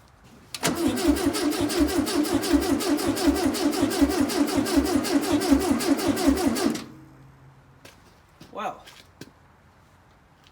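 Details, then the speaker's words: 1968 VW Beetle garage find with a new condenser, oil and starting fluid added: six seconds of steady, even cranking at about three beats a second that never catches; crank no start because the distributor was not fully seated and not spinning. "alright so I found a simple mistake distributor when I took it out wasn't seated fully so it wasn't spinning obviously stupid mistake on my part"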